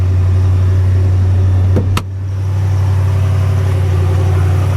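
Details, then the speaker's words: Rebuilt 2014 Ram 2500 Hemi V8 with new accessories at idle: deep, steady rumble, even beat, no misses or knocks after one brief click; healthy. "the nice hemi rumble"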